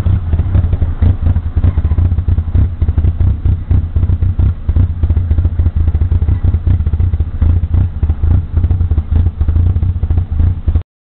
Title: Opel Corsa Rough Idle